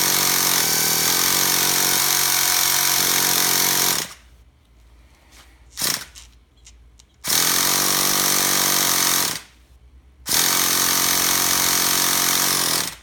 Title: Traxxas TMaxx 3.3 won't start. Help?